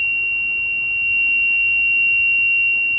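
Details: Radio receiver at 24.5450 MHz area, next channel up, lower sideband only: steady high-pitched tone over faint hiss, over 20 dB signal, nothing on USB, AM or FM; unexplained recurring carrier, source unknown.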